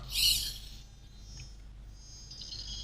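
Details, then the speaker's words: DJI Phantom 2 Vision at power-on with radio on: brief shrill chirpy whine, then a fainter high tone, from the camera gimbal servo's startup check, which is normal. "however the noise it makes it's uh wow I think it's because of the high frequency um the servo is checked it's making the noise but wow it is normal"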